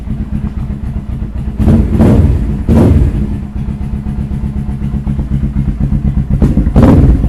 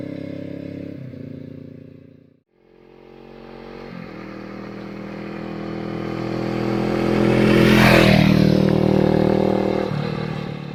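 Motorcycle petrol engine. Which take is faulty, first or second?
first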